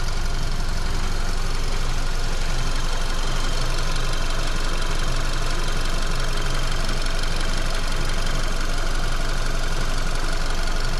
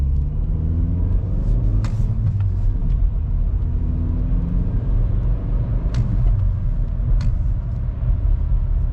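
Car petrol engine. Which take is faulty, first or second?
first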